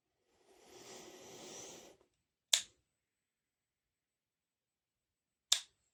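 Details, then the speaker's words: Dead Sonoff S26 Wi-Fi smart plug: after a brief rustle the faulty relay clicks twice about three seconds apart, with noise, and the LED is not working. "If you can hear, relay was clicking, and we hear some noise."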